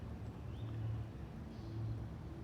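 Quiet, low, even engine hum with no squeal or chirp from the belt; the accessory drive sounds normal.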